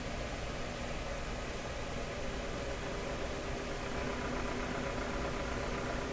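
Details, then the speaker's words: 1929 Victor RE-45 radio at final amplifier and speaker checkout, after earlier detector-stage popping and crackling went away: steady hiss with low hum from the speaker and no program audio. Unexplained noise in the audio output. "okay it's a little bit of hum coming from there okay let's see we start hearing this now"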